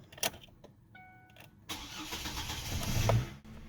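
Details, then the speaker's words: 2005 Chevy Colorado after replacing a weak battery that caused slow cranking, new battery tested good: brisk strong crank, then clean start into a smooth steady run; normal crank and start. "that's definitely much better"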